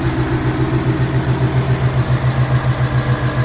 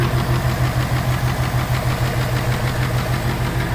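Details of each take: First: 2018 Ford Mustang GT Coyote V8 with custom cold air intake, idling smoothly with a deep even pulse and no tapping or knocking; IMRC clapping can be mistaken for knock, stopped by disconnecting its connector; normal idle. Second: 2018 Mustang GT idling with a steady light clapping, about three a second, from the intake manifold runner control (IMRC). It stops when the blue pin is disconnected; this is normal function, easily mistaken for knock.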